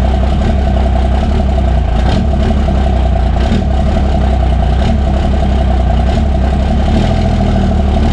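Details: Cummins diesel truck just after P-pump swap: loud idle with hollow tapping chatter from the uncovered intake port; not a knock, only because the intake manifold is not fitted yet, and expected to go away once installed.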